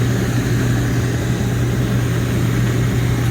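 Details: 2002 Reznor unit heater with induced draft motor issues and code 2 pressure switch failure, after cleaning, draft motor drawing 1.4 amps against a 1.6 rating: smooth, steady low hum with no wobble or throb; normal running.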